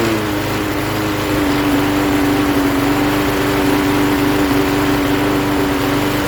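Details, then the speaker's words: 1988 Jacobsen lawn mower with Briggs & Stratton 3.5 hp single-cylinder engine, fresh gas, started via drill due to broken pull-start spring: steady even putter with no misses or surging; runs properly. "alrighty i'd say that's a success this thing runs good"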